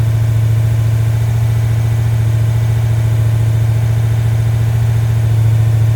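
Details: Freshly rebuilt 1990 Mopar 318 V8 (D150 truck) with new Rock Auto parts, mild Comp custom cam, Air-Gap intake, first run, timing 15° at idle, 33° total: even steady low rumble, no misses, knocks or ticks; normal idle.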